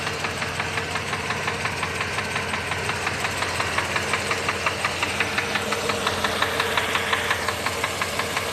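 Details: Mercedes-Benz W126 500 SEC V8 at idle: sharp regular ticking knock, nearly three per second, from inside the engine; cause not pinned down.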